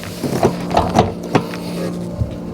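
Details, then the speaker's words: 2024 Wired Freedom e-bike after rear derailleur indexing adjustment via the thumb screw: steady drivetrain whir with crisp shift clicks down the cassette, then the chain runs smoothly and quietly, no clicking. "And as you can see there, no problems and no noise. So that's how you want it to be when you're shifting those gears."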